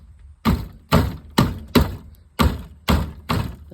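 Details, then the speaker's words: 2012 Chevrolet Impala rear rattle: hollow thumps, about two a second, as the rusted loose inner rear bumper is shaken by hand; needs a new inner bumper. "But as you can see, this whole thing just go down the road and makes all these doggone rattles."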